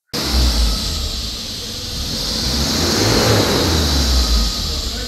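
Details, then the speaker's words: Jaguar Ingenium engine cranking during pre-timing-chain health check: uneven beat lacking firm compression strokes before it catches and revs; compression test confirmed low compression. "I'm going to show one video now and you can actually hear it when it's cranking you can hear it's got low compression"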